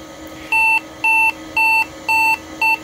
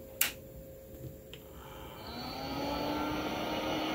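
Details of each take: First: Compaq Deskpro 286e retro PC at power-on: six even, high-pitched beeps about two a second, a power-on self-test error. The owner suspects no keyboard or mouse detected and probably a bad CMOS battery. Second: Compaq Deskpro 286e retro PC at first power-on smoke test; a couple of clicks then a low steady power supply fan hum with no grinding or rattling, sounding healthy.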